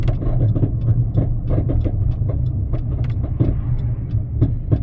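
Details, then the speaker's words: Deep steady low growl under road noise with occasional clunks while driving; badly worn wheel hub bearing, possibly failed so far that the rotor contacts the caliper bridge or spindle. "usually if a wheel bearing gets bad enough for the um rotor to be contacting like the caliper Bridge or the spindle or something like that usually it makes noises like this"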